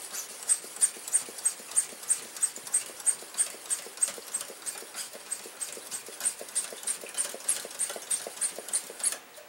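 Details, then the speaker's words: Coleman stove tank pump after check valve repair and a few drops of oil, about 30 pumps: steady even strokes about three per second with no air bleeding back; repaired check valve holding, normal pump operation. "happens look at that no leaks no leaks at all let's give it a little more normally before when I took my thumb off the the pump here it was leaking we're not getting that anymore folks we have a repaired check valve on a Coleman tank pretty cool"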